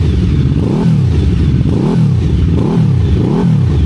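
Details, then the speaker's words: QJMotor Flash 600 V4 motorcycle, quick throttle blips: revs rise and fall cleanly with even firing and no knocks; sounds okay, though noisy when running. "It seems to be okay to listen to It feels a little noisy when running."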